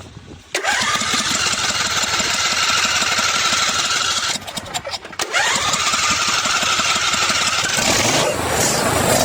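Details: John Deere D140 riding mower, after cleaning varnish-clogged idle jets that caused constant surging: engine catches at once and holds a steady buzzing speed with one brief dip and clean recovery, no hunting or surging.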